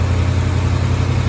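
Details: 1985 Chevy C10 idling after a cooling-system flush (gunk, sticking thermostat), refilled with distilled water: steady deep low V8 rumble with an even pulse, no knocks or squeals; healthy idle.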